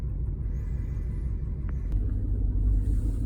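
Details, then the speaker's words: 1999 Ford Expedition with a misfire, exhaust leaks, leaking intake plenum gaskets and an engine rod knock, possibly a wrong spark plug: low, uneven idle rumble with no steady beat; cause unconfirmed, a stuck-open EGR valve is suspected. Rough idle. "I don't know sounds sounds bad though right it's idling really rough"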